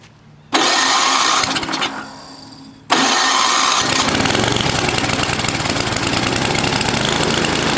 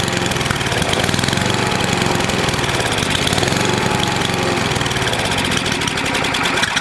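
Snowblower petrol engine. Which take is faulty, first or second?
first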